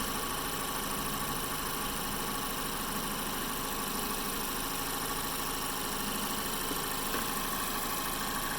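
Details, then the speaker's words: 2012 Mazda 3 Skyactiv after replacing the AC/alternator serpentine belt and the stretch-fit water pump belt: steady, even idle with no squeak or chirp, the earlier belt squeal gone. "so the car makes some noise before and now running smooth after I replace these two bels"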